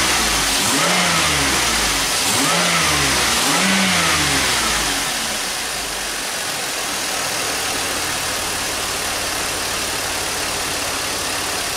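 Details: GM vehicle after the third power steering pump and a system bleed to remove air: engine revs up and down, then steady idle, no whine where a high pitched noise used to return above about 1,500 rpm; normal power steering.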